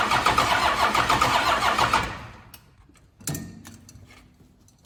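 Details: 1992 Dodge D350 Cummins diesel, first start after about 14–15 years sitting, two weak batteries, ignition switch bypassed: even starter cranking about four turns a second for two seconds, stops without firing.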